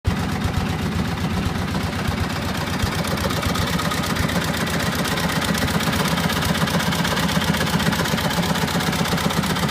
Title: Cushman Trackster grinding noise